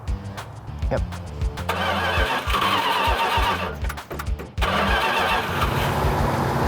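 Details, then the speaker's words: 1970 Plymouth 'Cuda 340 V8 idling during break-in with a few throttle blips: steady, even idle that settles smoothly, running much better; vacuum leak likely cured, to be warmed to operating temperature at about 2000 rpm. "so right now we're just letting it break in it sounds like it's running a whole lot better sounds like we might have got rid of our vacuum leak"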